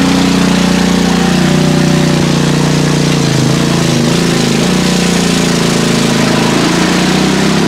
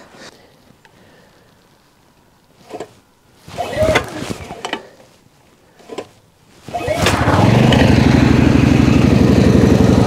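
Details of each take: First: PowerSmart MB5040B 4400 W generator loaded to about 30 A with heaters: loud, steady heavy drone without hunting; overload light on. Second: PowerSmart MB5040B 4400-watt generator, cold start after sitting outside overnight at 25°F, with choke fully on and eco mode off. After a few handling knocks it catches and settles into an even, steady single-cylinder putter at no-load idle, running smoothly.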